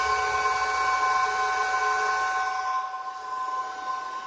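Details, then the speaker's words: Bitmain AntMiner S9 Batch 3 (12.93 TH) on an alternative PSU, second power-up, blowing hot air: steady whirring fan with even pitched notes, easing off, not as loud as before as if working less hard; normal fan running. "time it doesn't seem to be as loud as it was so I don't think it's working as hard as it"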